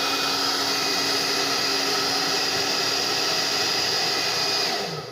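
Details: Smooth, constant hiss and motor whir with no rattles, fading at switch-off, from a Tecno Elétrica Fórmula 6000 Turbo hair dryer after an adapted heating element was fitted. The owner worries loose screws could later let parts touch; it runs normally.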